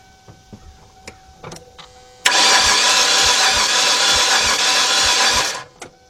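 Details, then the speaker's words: Cranking a 2006 Kia Sportage 2.7 that overheated, set a check engine light and now cranks but won't start: fast, light, even spin with no compression pulses, distinct no-compression sound; compression test next. "one thing when you crank it over that sound you hear that's a distinct sound you know there's no compression but no spin over yes so we do a compression test now"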